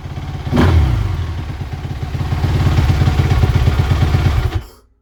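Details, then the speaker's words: 2017 Suzuki RM-Z450 motocross bike after fitting new grips, brake lever and handguards: catches quickly, blips up and settles back cleanly with no hanging throttle, smooth and even; normal idle and revs. "That's it. Seems to work just fine, like it did before."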